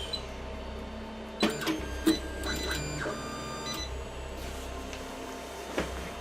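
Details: AnyCubic i3 Mega 3D printer, reassembled with bottom screws and crossbar and homing: hums and clicks while short high beeps keep sounding at irregular moments, as it has since new; cause unknown, Z-rod misalignment doubted.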